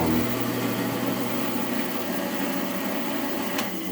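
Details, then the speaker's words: Ridgid 1400/1401/1402 bandsaw after riser block install with blade, switch, guides and new guard refitted: steady whirring motor hum at even pitch, no blade scraping or ticking; running smoothly. "So now what we'll do is we'll turn it on. And we'll show you that it works good."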